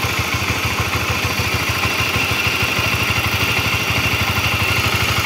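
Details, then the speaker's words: Honda CB-series motorcycle (CBX/CBR/New CB family) at idle: rough, uneven clatter of about three knocks a second. A screwdriver tool on the tensioner turns by itself, indicating a weakening cam chain tensioner lifter. "obengnya Oke berarti ini gejalanya si litter ac-nya udah mulai ee kurang bagus gitu ini untuk yang suaranya kasar"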